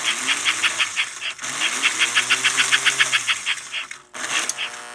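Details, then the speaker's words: 326 Hudson toy locomotive air chime horn speaker, in neutral with power on: electrical hum and buzz as track voltage spills through the speaker voice coil; capacitor to be replaced to try to eliminate the buzzing. "all right so it's a neutral right now and that's track voltage that's spilling through the voice coil in the [Music] speaker"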